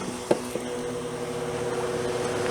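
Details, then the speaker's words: 8,000 BTU, 8 A air conditioner powered by a Harbor Freight 100 W solar kit through a 1500 W inverter: a couple of start-up clicks, then steady compressor and fan hum without labouring; runs normally. "and surprisingly it runs it it is a uh 8 Amp 8,000 watt V 8,000 DT AC feels good anyway it runs that"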